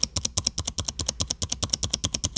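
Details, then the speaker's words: Dell XPS 15 9570 spacebar recorded with the microphone near the keyboard; quick run of key clicks, each with a sharp high squeak from the right side, not on every press; dry spacebar stabilizer pivot. "what's going on guys we got the XPS 95 70 here and I will be attempting to fix my squeaky space bar"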